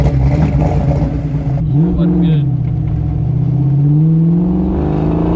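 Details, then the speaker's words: Fox Body Mustang convertible with freshly swapped 306 V8 on first drive, tune chip from previous 331 with 30 lb injectors: note climbs under throttle then falls flat after 4,500 rpm, losing power; better with chip than without; cause unconfirmed. "kind of like after 4 500 it just falls on its face it like loses everything after 4 500."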